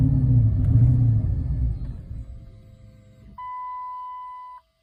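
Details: Chrysler 300: about three seconds of rhythmic starter churning fades out without the engine catching, then a steady chime; cranks but won't start, cause not confirmed.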